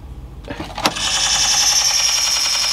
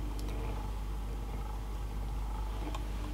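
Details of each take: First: 1960s–70s Sony TC-357 valve reel-to-reel tape recorder, sat unused: harsh steady high-pitched screech when the drive mechanism engages; owner suspects an idler slipping, unconfirmed. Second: motor is actually surprisingly quiet I Mak a little bit of noise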